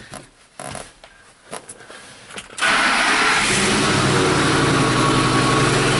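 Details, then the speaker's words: 2006 Ford F-150 5.4 with no-crank, no-communication codes U1900/U2023, checking fuse 12 and relay: quiet clicks and handling noise, then engine suddenly fires into a rough, loud idle, possibly exhaust manifold leak; no-start is intermittent. "Sounds like this dude needs some manifolds. Then I shut it off and I got nothing."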